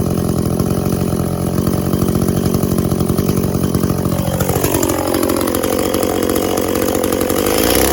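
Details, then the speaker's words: Echo CS400 chainsaw after OEM oil pump replacement and carb tune, cutting white oak: screams at high revs, pitch drops and holds steady as the chain bites, pulls cleanly without bogging; chain sharp enough, dug in under own weight; normal cutting. "I think the chain's pretty well sharp enough. I might touch it up before I give it back, but it dug in real nicely, just with a couple of quick bursts, and under its own weight."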